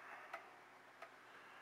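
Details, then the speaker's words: Old regulator clock after calendar hand repair: crisp, even ticks roughly every 0.7 seconds in a quiet room, a steady beat from a healthy clock. "all right guys 7 o'clock it's time to fire it up there we go got our tickin again"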